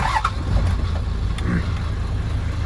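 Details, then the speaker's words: 1989 Toyota HJ60 Land Cruiser diesel after crank-no-start from air in fuel line, bled with manual pump, Seafoam added: steady low rumble with even beat, no stumbling or misses; running strong. "back baby he's back running and running strong all right all right"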